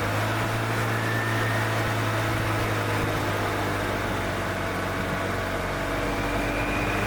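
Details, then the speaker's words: Gas 1997 EZGO TXT golf cart that was hard to start after sitting, just after valve adjustment with a feeler gauge: even, steady hum with no knocking, ticking or misfire and no smoke; the engine sounds healthy. "That's actually a good sounding engine. That engine sounds good."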